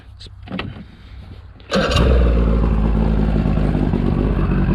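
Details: 1996 Bayliner Quantum 170XD boat engine (compression 125, 125, 120): cranks, catches and settles straight into a steady even low idle around 1,000 rpm without creeping up; idling correctly.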